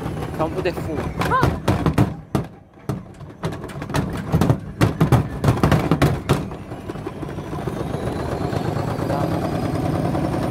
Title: Indesit mega unbalanced jumping